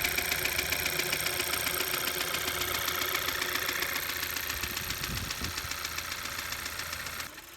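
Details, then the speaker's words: Mechanic's stethoscope on the engine top end at idle: fast, even ticking, about 220 per minute, over a steady idle, pinpointed at the valve area; valve lifter ticking, oil level to be checked first as low oil is suspected. "It's coming right here from around the valve area here, which is a pretty good indication that it's with the valves, the lifters in that area there."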